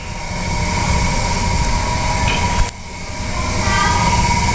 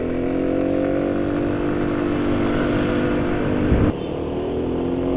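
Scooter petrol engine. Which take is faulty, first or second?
second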